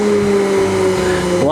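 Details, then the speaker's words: T-962 PCB reflow oven: the fan was jammed by a bit of cardboard and now spins after it was cleared. A steady droning fan with a strong whirring tone that changes pitch near the end; the fan runs freely but loud. "well sounds like it's gonna take off but at least the fan is spinning yeah it was jammed"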